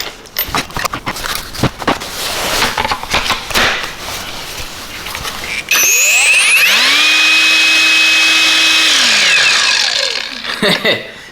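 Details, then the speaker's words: Knockoff "Makita" 18V brushless cordless grinder, first power-up with no guard or disc fitted: after handling clatter, a high whine rises quickly to steady top speed ("UFO taking off"), holds and winds down; healthy no-load spin. "did you hear that why not sound like ufo taking off that spins that spins quite fast"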